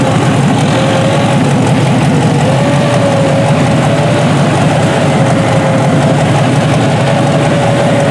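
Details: Junkyard 6.0 L Chevrolet V8 from a 2002 Chevy truck pulled from a mud hole (no water in oil), first test run on a test harness. Loud, even low idle with a faint steady whistle, no knock or tick; normal healthy idle.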